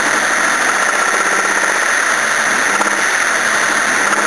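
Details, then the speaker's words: Toyota Cressida engine revved unloaded after warming up, free revs with faint fast ticking knock that is absent under load; owner suspects timing going out or worn big-end bearings letting pistons hit the head. "all right let's see if it makes the noise now yep now it"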